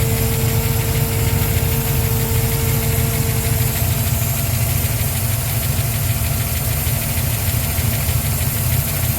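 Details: Mustang V8 cold start after upgrading weak electric fuel pump (3–4 psi) to Holley Sniper pump with return line and Holley dead-head regulator: deep, steady lope, even beat, no misses or stumbles. Normal idle.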